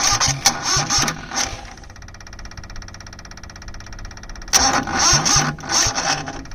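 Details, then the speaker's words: 2002 Cushman Truckster repowered with a Perkins 103-10 diesel, cranking while bleeding injectors: starter turns in sluggish bursts that sag and quit as the battery, dead for 8 months before, runs out of cranking power; slow cranking from weak battery. "but I'm running out of cranking power. So I guess they'll just have to bleed over time."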